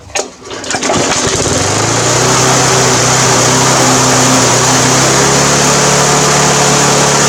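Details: Briggs & Stratton 350 Classic lawn mower: rough start, then loud run with pitch surging up and down; governor springs missing, fuel leaking, cracked gas tank; swapping tank and carburetor cured it.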